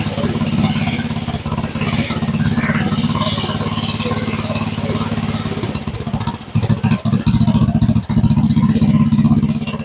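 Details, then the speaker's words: Go-kart with a 7 hp single-cylinder engine, started on half choke with the idle then turned down slightly: it ticks over with a steady, even low thump and no misses; a healthy idle. "That motor sounds pretty steady. It sounds pretty smooth."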